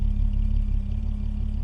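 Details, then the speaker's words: 1975 Jaguar XJ6 six idling about 12 minutes after K-Seal treatment for a cylinder 2 head gasket leak, hot day, gauge holding correct temperature: deep, even burble, no misses, smooth healthy idle despite sooty plugs. "Not a hint of a miss. And we are up around the R mark."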